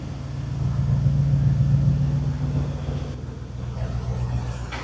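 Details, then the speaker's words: Engine started after the anti-theft system was removed with HP Tuners (possible BCM fault). Running briefly with no coolant or antifreeze and no MAP sensor fitted: catches and settles into a steady, even low rumble with no knocks or misses. Runs well. "So it seems to run pretty well, really."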